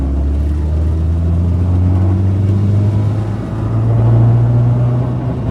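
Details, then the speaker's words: Toyota Corolla KE35 on a test drive after the earlier vibration: deep, steady drone rising and falling with road speed under the engine note, vibrations gone; persistent rumble of uncertain origin, perhaps the exhaust. "H still there. That noise is still there. Annoying."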